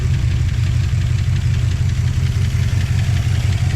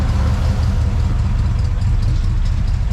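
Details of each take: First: 1959 Plymouth Suburban Poly V8, after new hoses, coolant, plugs and plug wires: deep, steady idle with light lifter tick until switched off; healthy, around 18 MPG after a 2000-mile trip. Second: 1959 Plymouth Suburban, old Poly V8 with solid lifters, just started cold with little choke action: low, loping, uneven idle, a little clacky, sagging as if about to stall; hard starting, tired and uses oil.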